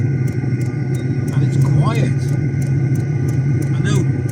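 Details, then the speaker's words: Chinese diesel heater after swapping to quieter fuel pump: quiet steady fan hum with soft regular tick about three times a second from pump; pump barely audible now, running normally. "I can only hear the fan at the moment I used to be able to hear the pump"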